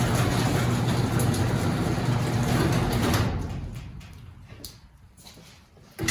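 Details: Old garage door opener after spraying lubricant on all moving parts: an even motor and chain drone for about three seconds, then it winds down to a stop. Smooth travel with no squealing or grinding; normal operation.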